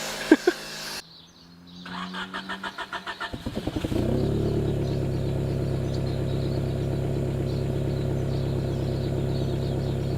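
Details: 1990 Honda Civic ED barn find with a D16 swap, Garrett turbo and EFI conversion, after sitting about four years and refuelled with fresh 98 fuel. It cranks two seconds, catches and idles smoothly with no misses or knock.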